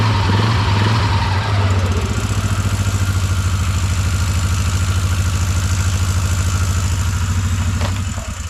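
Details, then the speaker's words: 2004 Bombardier Outlander 330 4x4 ATV started during clutch repair work: engine catches and settles into a steady, even idle with a smooth low thump and no ticking; sounds normal. "so normal so this is the uh shape that we're going to try to make it into"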